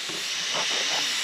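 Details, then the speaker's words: Pressure test of a plastic intake manifold on a metal plate: a steady sharp hiss with no low rumble. Boost leak where the plastic meets the metal plate. "It's coming from the where the plastic meets the metal."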